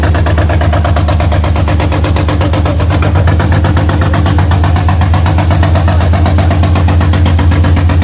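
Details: BMW M52B28 straight-six swapped into an E30, first start, with the idle actuator hose refitted: even, steady low rumble with no knocks or ticks. The oil light went out, and the smoke is debris burning off the exhaust; normal idle.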